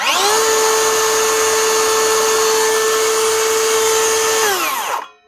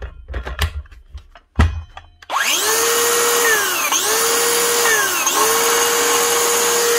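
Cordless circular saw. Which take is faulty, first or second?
second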